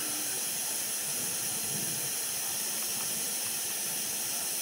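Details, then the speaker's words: RV absorption refrigerator, cooling poorly beforehand, gas and electricity shut off: steady sharp fizzing hiss like escaping steam with no rhythm; piping in the cooling unit ruptured, ammonia leaking, dripping and evaporating in the flue. "heard it uh starting to kind of a fizzing sound and you can see uh can hear the ammonia there's an ammonia leak in there"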